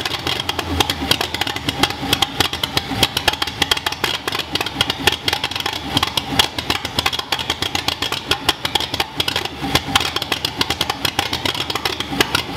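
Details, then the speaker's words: 1941 Ford flathead V8 on a run stand, Winfield cam, Fenton heads, dual Stromberg carbs, mock-up distributor, no radiator, first start: loud open-exhaust idle with rapid, fairly steady firing pulses; engine runs fine. "all right we made noise yes all right so we got the engine to fire"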